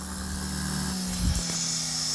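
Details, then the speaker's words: KJ-66 model jet turbine on a homemade test bench after service and successful run: high whine falls away smoothly as the rotor coasts down freely a long time with no scratching or rubbing; normal spindown. "kratzt nicht oh das hört sich so gut an und er rollt er dreht sich richtig schön aus ist das schön guck mal er dreht sich richtig"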